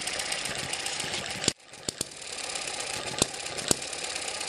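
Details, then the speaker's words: Eachine ET7 (same as M94) model hit-and-miss engine with weaker, stretched governor springs, now about 900-1000 rpm: hissy running broken by sharp single pops spaced well apart, the slow firing cycle of a hit-and-miss engine running properly. "i've stretched those springs a little more now it sounds like a hit under 1000 rpm"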